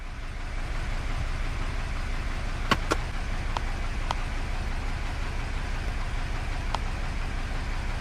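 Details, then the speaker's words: Hyundai Elantra at idle with the check engine light on and code P0304, cylinder 4 misfire. Rough, shaking, uneven idle with stumbles and sharp ticks. Misfire. "I can tell you the engine is running really rough right now. And here's a look at the engine. It's shaking quite a bit and it sounds very rough."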